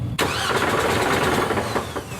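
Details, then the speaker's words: Lemons race car cranking with solid motor mounts fitted: engine catches roughly with heavy clunking from the bellhousing, louder since the mounts were fixed. Suspected clutch or flywheel coming apart, not rod knock. "I think that could be like clutch clutch coming apart it's bell housing sounding to me it's not rodnock sounding"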